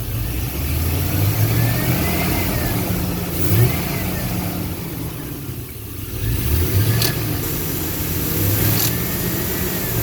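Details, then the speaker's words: On a 2002 Chevy Silverado 1500 HD with the AC on, the engine is revved from the front by the throttle cable: a loose metallic rattle follows engine speed, coming from inside the AC compressor down low. "so you can hear the air compressor down there rattling"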